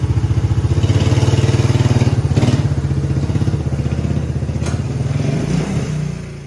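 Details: 1990 Suzuki Quad Runner LT 250 4WD single-cylinder, after clutch adjustment and replacing the failed centrifugal clutch bearing (bad spring made it jump into gear and stall): chugs steadily about four pulses a second, even and settling as it warms, no clatter; normal idle.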